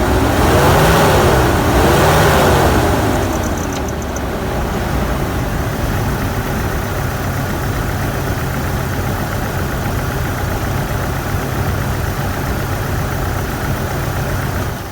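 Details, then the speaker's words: 2006 GMC Canyon 2.8L 4-cylinder 4WD after a timing chain repair: a quick rev, then a rough idle stumbling about four times a second; cylinder 3 is not firing, believed to be from an ignition coil broken during the job. "I can absolutely already tell that this engine is in much better shape, even though one cylinder isn't firing."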